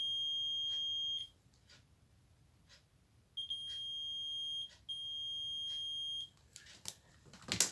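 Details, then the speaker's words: LG 20-inch colour TV that won't power on and makes a chuk-chuk noise: multimeter in buzzer range on the removed horizontal output transistor gives a steady continuity beep on each probe contact, stopping when leads lift, so the transistor is fully shorted and will be replaced. "ये देखिए ये जो transistor है view output का इसको हम test कर लेते हैं। ये देखिए दोस्तों पूरा ये शॉर्ट है।"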